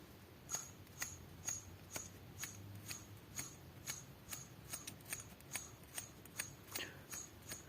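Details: Chrysler Sebring/Cirrus/Stratus 2.5 V6 SOHC 6G73 engine, belt idler pulley spun by hand during teardown inspection: sharp dry clicks about twice a second from a worn idler pulley bearing.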